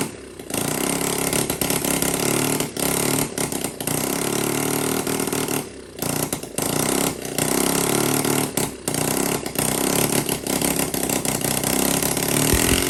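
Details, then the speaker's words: Honda CT70K1 engine run for the first time in about 34–35 years, leaking oil everywhere; small single sputters and stumbles with repeated dropouts and surges; runs rough, cause unknown. "well it runs not good it leaks oil out of every place it can leak oil but we did hear it run"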